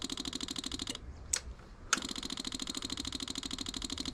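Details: 1984 Yamaha Virago 1000, key on refilling emptied carb bowls: rapid steady fuel pump ticking keeps running, bowls never shut off; fuel overflows at the carb vent, owner suspects sticking float needles flooding the carburetors.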